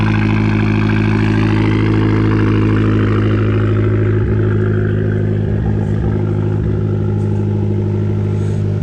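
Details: 2012 Fiat Abarth idling with a long-standing misfire: steady, loud idle with an uneven stumble every few beats, an occasional missed firing; cause not pinned down.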